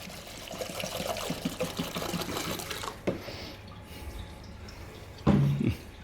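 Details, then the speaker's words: 2010 Mercedes E63 at 81,000 km with a scored cylinder bore; fluid poured into the cylinder trickles and gurgles straight down into the crankcase, showing the piston is not sealing. "You can hear that's slinging direct down. Something is wrong with the piston here. Not necessarily the piston rings, but definitely there is a problem with the piston."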